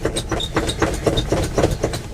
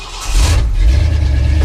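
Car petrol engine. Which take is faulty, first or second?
first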